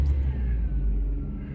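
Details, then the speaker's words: XJ6 started in park after its first service in 10 years: deep, steady low rumble with no knocks or misses, settling into a smooth idle; engine sounds fine. "That sounds alright. That sounds alright."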